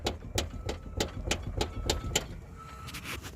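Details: 1982 Ford Mustang GT, lowered, sway bar removed, body rocked by hand: sharp hollow clunks about three a second, a knock that has gotten worse, possibly since the sway bar came off. Differential and exhaust were ruled out; a loose rear upper control arm is knocking.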